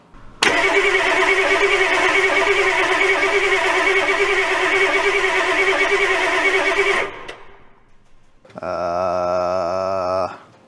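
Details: Old diesel revived, blown 20A maxi fuse replaced, fast-idle screwdriver set, relay jumped: steady starter cranking six seconds that never catches, then a short second crank; turns over but won't fire, fuel later found leaking at all four injector lines.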